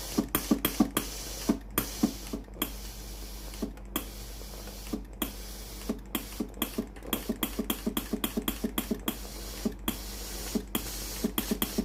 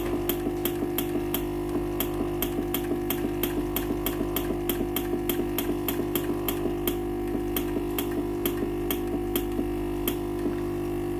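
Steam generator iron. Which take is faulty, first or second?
second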